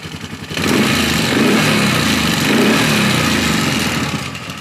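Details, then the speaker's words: Polaris Sportsman 450 ATV with original Mikuni carb and new spark plug, idling with no choke: busy, fast light clicking over the idle the whole time it runs; owner suspects starter clutch rollers, cause unconfirmed. "I don't know what the hell that clicking is. Sounds like the starter clutch rollers banging around."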